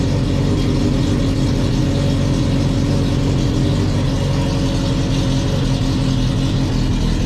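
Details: 2007 Prince LSR sports racer with 2008 GSXR1000 engine, 205 hp: loud, even, busy engine note at constant speed with no knocks or misses; high-revving engine runs cleanly.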